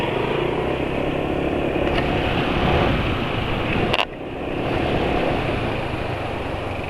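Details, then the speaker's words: Motorcycle engine after some use on Evalube Molytec oil, rough even at the start of a ride; idling with a coarse, uneven, gravelly note; owner considers it rough and plans an oil change; cause not confirmed. "nyem menurut penulis Itu suaranya Udah kasar jadi penulis rencana ganti"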